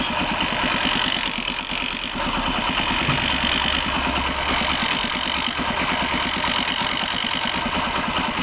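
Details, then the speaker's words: Hero Honda City 100 SS idling after a new cylinder block kit and timing chain: light, uneven metallic chatter when the kick lever is moved slightly; kick-start ratchet noise because a previous mechanic left the kick shaft timing misaligned. "देख सकते हैं ज़रा सी मैं सिर्फ इसे ही नीचे हिलाता हूँ, ज़रा सी हिलाता हूँ और वो आवाज़ करने लगता है।"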